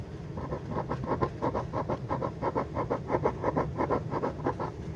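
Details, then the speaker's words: Refoamed speaker, cone pressed gently by hand at the centre: dry scratchy rasp about three times a second as the off-centre voice coil rubs in the gap; voice coil rub. "that is the voice coil rubbing because it's not centered"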